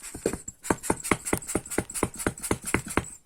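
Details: 2001 Audi A6 C5 allroad with air suspension, front left strut removed and rocked by hand: sharp hollow clunks about three to four a second; knock from the upper strut mount, whose bushing fell out when dismantled.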